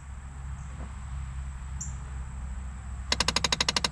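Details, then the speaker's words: Dodge Caravan cabin with door open: quiet, then sudden rapid loud clicking about a dozen per second from the failing temperature blend door actuator, gears skipping; actuator being replaced. "the one that's going out on this Dodge Caravan is the one that controls the thermostat so so just listen open that door it's going to start clicking insanely loud"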